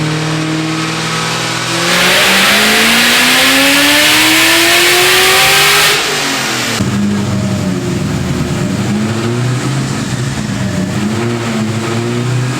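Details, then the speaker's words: Built, cammed supercharged 2003 Ford Mustang Cobra (~700 hp, Borla ATAK exhaust, 93 pump fuel) driving in cold rain after a retune that raised boost to 22 psi; clean rev climb with rising blower whine, then even cruise, no misfire; normal running. "right so you know when your car is not running right and then you get a tune revision and it's just like oh i feel better now"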